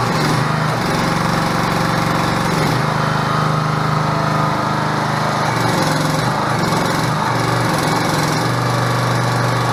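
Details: 6.5hp gas engine driving a 13-gpm two-stage hydraulic pump (2000 psi) on a portable hydraulic power unit; steady governed speed, pitch dips briefly as pump loads then recovers; normal running.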